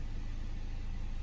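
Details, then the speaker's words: 2014 Cadillac CTS 2.0 turbo, hot, just after installing a 67 mm throttle body, with downpipe, intake and tune: steady low hum, even quick pulse, no misses or knocks; smooth normal idle. "so so far it seems like it's running smooth"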